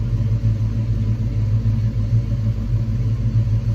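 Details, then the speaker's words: 1986 Ford Mustang SSP after new spark plugs and wires: low, steady idle at about 900 rpm with an even beat and no misses or knocks; a smooth, healthy idle. "okay now it's idling a little below one I hope it's fixed will it stay there I don't know what it's supposed to be idling in but right now it's idling"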